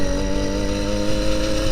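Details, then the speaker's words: Motorized bicycle two-stroke engine after service and cutting the exhaust pipe baffle: steady even buzz at one pitch, crisp but moderate exhaust note, nicer sound and not too loud; normal exhaust note. "com barulho mais legal e não tá tão alto não"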